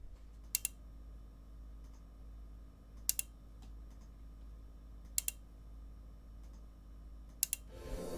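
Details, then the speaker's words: Second-hand Asus Essence ST sound card with an external power source. Four sharp single clicks a couple of seconds apart over a faint steady hum: the card's relay selecting its power source, which is normal. "the click that you just heard is the click of the song cart itself selecting which system to use internal system to use"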